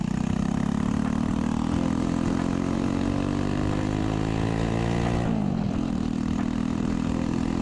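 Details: Chopper with a new 125cc 4-speed single-cylinder engine, exhaust cut short to clear the kick start: harsh, raw four-stroke bark at steady pitch with a brief dip, blatty and far too loud.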